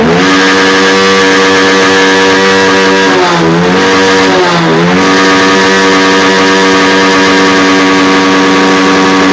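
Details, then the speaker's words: Honda X-Blade motorcycle after fitting an original Honda air filter in place of a local one. It idles steadily, picks up crisply in two quick blips and returns to an even idle. Normal revving. "பார்த்தீங்கன்னா தெரியும் சூப்பரா racing ஆகுது"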